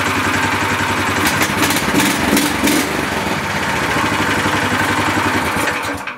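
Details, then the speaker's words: A Shtenli 1900 walk-behind tractor with reduction gear came in with a strange noise at start, traced to underfilled gearbox oil. With the engine refitted to the gearbox and in neutral, the single-cylinder engine chugs at a steady, even beat with no knocks or gearbox grinding; normal. "Всё ровно заработал, ничего нигде, никаких посторонних звуков"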